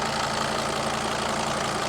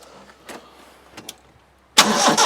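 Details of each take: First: Mercedes Sprinter with 602 diesel, first start after sitting abandoned two years: steady, even diesel clatter with a smooth low hum, no knocks or misses, oil light out; normal diesel idle. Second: Mercedes Sprinter diesel van abandoned two years, on a battery pack, no fuel pump heard: the starter spins the engine with an even rhythmic chug for about six seconds but it never fires; cranks but no start.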